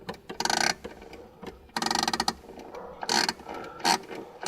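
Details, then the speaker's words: 1955 Mercedes-Benz 300 SL Gullwing, being recommissioned after years off the road: its original clockwork clock is hand wound, giving short spells of crisp, even ratchet clicks with no slipping; the winding mechanism is healthy. "well one another of the lovely lovely features of this car is its original clockwork clock and this has to be hand wound so"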